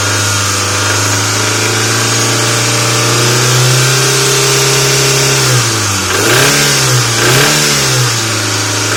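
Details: Mitsubishi 4G64 MPI engine revving: rapid drumming knock rising with revs, otherwise runs evenly; source of the knock unknown.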